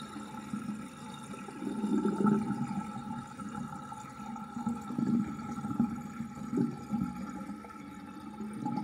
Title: New sinkdrain with old universal sinkplug 45.5 mm with plastic ring and chain and gurgling sound